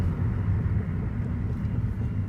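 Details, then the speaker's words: 2015 Hyundai Elantra after a transmission replacement, test drive. Steady low drivetrain hum with no whine rising with speed and smooth shifts. The earlier whining noise is gone. "you can see it's in drive and now it drives normal so you don't hear that whining noise like you did on the first test run"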